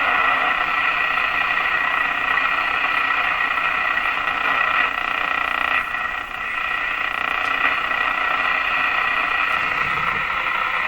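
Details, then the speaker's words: Moffat Crosley G2465 five-tube radio warming up on dim bulb tester after replacing last two paper/wax capacitors, before IF alignment: steady hiss and crackle with faint tonal bands, lots of interfering noise while tuning. "okay let's check it out what do we got lots of interfering noise"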